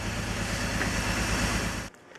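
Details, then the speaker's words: BMW E46 with rough idle, shaking, stalling and check engine light. After the coil pack was swapped to another cylinder, code P1343 showed a cylinder 1 misfire. Uneven, lumpy pulse under the drone: a bad coil pack. "so after running the codes again if we get a different code it's p1343 quick check on Google and that is misfire on cylinder 1 so we know it's bad coil pack"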